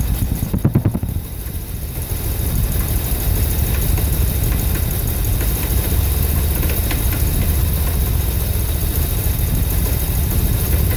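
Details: 1983 Dodge D250 318 V8 after swapping the Carter Thermoquad for an Edelbrock 600 carburetor: low uneven fluctuating idle with sharp backfire pops and rattles; owner considers timing, spark plugs, plugging EGR.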